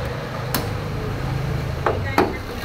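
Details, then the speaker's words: Kia Picanto that had been noisy with ticking, smoke from the oil cap and oil warning light, traced to a clogged oil filter; after the fix, a low steady even hum without ticking, a few stray knocks; quiet normal idle. "Yan o. Matining na siya ngayon."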